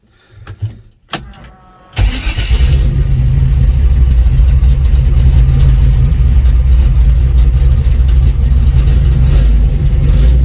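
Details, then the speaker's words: Chevy C20 with built 408 small block: engine fires, then heavy rumble with uneven surges as if free-revving; free-revs first to second, transmission believed broken, supposedly built trans doubted. "you go from first to second and it free revs so definitely broke"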